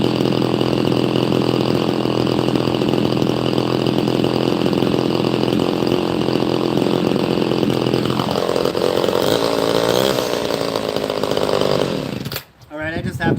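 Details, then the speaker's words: Chainsaw with factory, unmodified exhaust: small two-stroke burbles along at a steady, even idle, fairly quiet, with no misses or rattles before dropping off; normal running. "So, this has uh all the factory exhaust. I've not modified it or anything. It's actually pretty quiet. It uh purr along pretty good."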